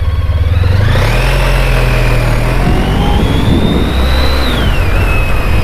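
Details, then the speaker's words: Honda ST1300 shaft-driven motorcycle under way after a highway drive: steady, even engine hum climbing smoothly through the gears over road and wind rush, no knocks or roughness; runs sweet. "very smooth and for those of you that were wondering yes it is a shaft driven motorcycle"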